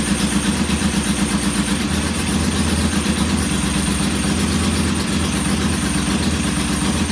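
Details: Norton P11 twin first start after carburetor rebuild and old fuel replaced, kick-started: lumpy uneven idle around two and a half pulses a second; rough idle, pilot jet not following adjustment, to be cleaned again.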